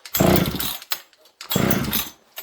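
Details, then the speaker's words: Old 200-series (266) chainsaw from a junkpile, long-sitting with off-smelling tank fuel, choke pulled: two short sputtering bursts each dying within a second; hard restart, owner suspects flooding. "Okay, let's see if this thing restarts. Pull the choke again. Now it doesn't want to start on us."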